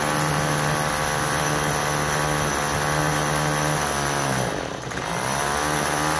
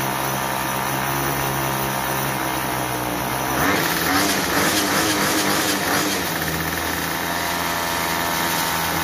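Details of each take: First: Troy-Bilt TB32EC two-stroke straight-shaft trimmer, choke fully off: a high buzz that sags and falters on throttle before recovering; it stalls when given gas because the carburetor needs adjusting. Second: Troy-Bilt TB32EC two-stroke trimmer after carburetor idle adjustment: steady idle without head spinning, climbs smoothly on throttle and settles back without stalling; running right.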